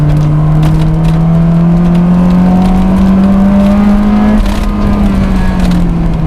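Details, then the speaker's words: JDM Honda S2000 with a Spoon ECU mapped for power above VTEC, little below, hardtop fitted, and a stock gearbox and clutch. The note climbs and hardens into VTEC then drops on the shift; clean, loud, normal VTEC engagement. "This also has a spoon ECU installed, so yeah, it definitely feels like there's not a lot of power below VTEC, but it's been mapped to give all the power above VTEC."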